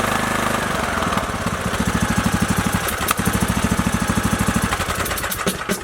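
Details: Briggs & Stratton 19.5 OHV single-cylinder on Craftsman LT2000, first start after replacing push rods, guide plate and rocker cover gasket: cranks, catches and settles into a steady chug about three beats a second; normal start and idle.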